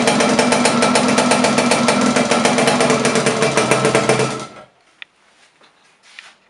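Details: Laverda LB 125 with a Zundapp KS 125 WC two-stroke engine, first start after rebuild: a quick, steady crackle at a fast, even beat for about four seconds, then it cuts off; normal running.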